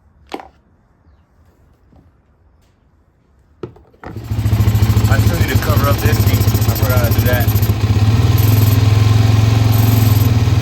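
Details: Suzuki LTZ 400 ATV (believed 2004), sat five years: a few clicks, then it fires and settles into a steady, even idle with clean throttle blips. Runs really good.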